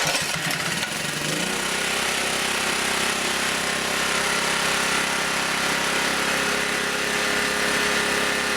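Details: Auction generator, possibly a Briggs & Stratton 8 hp, restarted with choke, no load, to set a little over 60 cycles: catches within a second into a high, hard buzz that never drops; overspeeding because the idle stop screw is fully in.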